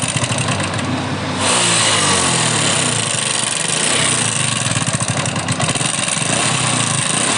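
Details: Old Hero Honda Splendor used on farms and not serviced for a long time: after starting, a busy metallic rattle rides over the idle and sharpens on revving, fitting a worn, slapping timing chain and cut guide.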